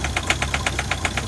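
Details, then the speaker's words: Ford Focus diesel with its original vacuum pump, at 2 °C with the vacuum pipe off: cold idle with an uneven, lumpy beat of about five clattery pulses a second and weak pump suction; owner suspects a failing vacuum pump, but the rough idle's cause is unconfirmed. "Oh, you can hear the vacuum pump, the suction or the vacuum that it creates is not very strong. The engine's lumpy."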